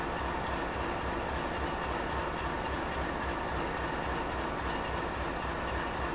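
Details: GE 7FDL16 diesel at high idle: a steady, even drone with a faint rhythmic pulse; it is running normally.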